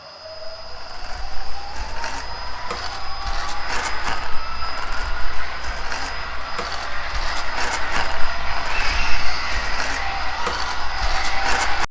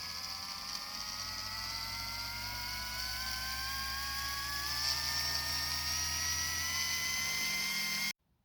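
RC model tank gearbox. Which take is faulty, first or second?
first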